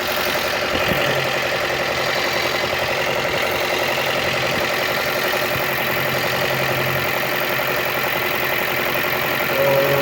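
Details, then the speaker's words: Toyota whose coolant temperature rose fast, run for a long time after the cooling fan repair: a steady, even idle with a smooth fast pulse and no knocks or vibration before the fan switches on automatically; no overheating. "Tahimik yung makina, walang vibration. Gumagana na yung fan."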